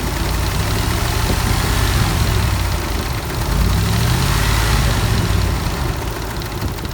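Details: 2004 Dodge Ram 4.7 V8 with a cylinder 8 misfire since purchase, light uneven tick over a low rumbling idle and a blip; a shop couldn't identify the cause.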